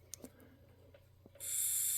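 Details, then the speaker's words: Tillotson HR74A carburetor off a 1969 Ski-Doo Alpine with 299cc Rotax engine, bench test blowing air into tube with ports blocked in turn: light clicks then steady airy hiss, sound changes as ports blocked; air passes through return-line ports, open. "You hear the sound change, so you know for sure there's air traveling through those ports."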